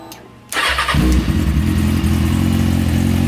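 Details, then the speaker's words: Motorcycle first start after a front end swap, stunt chain conversion and new small stunt exhaust can: catches after a short crank, then settles into a crisp, even idle with quick revs, running clean and healthy. "it runs it runs sounds it sounds like it's running really nice now"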